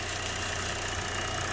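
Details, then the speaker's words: GM 1.4L petrol engine with P0171, idling: thin, steady high whistle from a vacuum leak at the failed PCV valve on the valve cover; plugging it gives immediate short-term fuel trim correction. "all right i don't know if you guys can hear that whistling plug that off and we're getting immediate corrections on our short term it's that whistling you're hearing"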